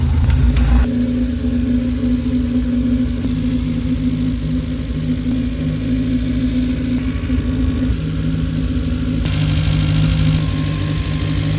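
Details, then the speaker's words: Mazda Miata engine swap after fitting a replacement alternator, belts and power steering: steady, even idle with constant low drone, no ticking, squeal or stumbling; started up not too bad, runs fine. "Started up and it's not too bad. The rest is fine."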